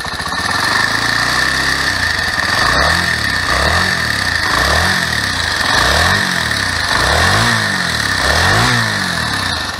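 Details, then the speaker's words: Honda CBX125 Custom single-cylinder, owned about 10 years, starts easily and idles almost perfectly but with a deep rumbling knock swelling about once a second; owner fears piston trouble, hopes it's only the timing chain or tensioner. "этот рокот конечно он меня настораживать потому что я боюсь что это проблемы будут с поршнем"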